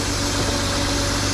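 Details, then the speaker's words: BMW E36 M3 with S52 B32 six-cylinder, first start after sitting, initially ticky then quieted; fan seized so run kept short: steady even idle, low hum, no ticking or knocking; runs really healthy. "Yeah, the fan is seized, so we can't run this long, but it runs, and it runs really healthy."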